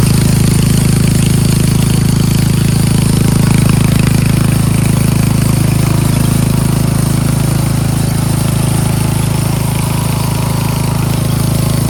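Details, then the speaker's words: Craftsman 13.5 HP 30-inch rear-engine riding mower running and mowing, steady even single-cylinder drone with no misses or surging; it runs, starts, drives and mows, normal under load. "Albeit this thing does run, start, drive, and it does mow."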